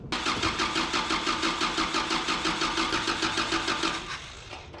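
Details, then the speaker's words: 1984 Toyota dually pickup after a swap to a Weber carburetor with fuel supply and return lines hooked up: even starter cranking at about three beats a second for four seconds that never fires; no fuel is reaching the carburetor. "go. What is going on here? And I still ain't seeing fuel. That's weird considering it pumped enough into there."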